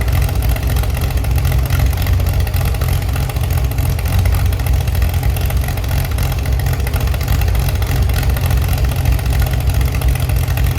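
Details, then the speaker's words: Chevy SS under restoration, engine restarted after the owner lowered the fuel level to fix a mistake. Deep, slightly lumpy but steady idle with a firm low rumble, no knocking or missing: normal idle. "Yes, very good, I have already managed to revive the Chevi's engine again. You can hear it and it sounds very good."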